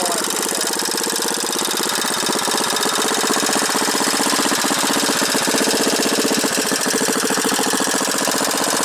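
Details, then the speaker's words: Manco small single-cylinder engine during restoration, cold start: its beat wanders unevenly and won't settle, running erratically and refusing to take adjustment; the owner thinks the carburetor needs cleaning. "I'm gonna have to probably clean that carburetor a little bit cuz she sure doesn't want to get adjusted but it's erotic"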